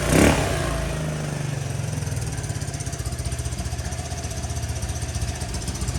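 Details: Honda Helix scooter bought at auction, first start after fresh gas, new pre-filled fuel line and fuel added to the carb bowl: small single settles into a quick, slightly uneven putter with a deep low thump at idle; normal idle.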